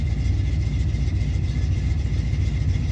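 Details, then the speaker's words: Camaro V8 with a newly installed Aces EFI, idle set to 850. Uneven, lumpy idle that sags as if about to stall and smells rich. Rough low idle; owner suspects too much fuel pressure. "I don't know if I like the way that sounds. Sounds a little rough. It's dropping a little too low."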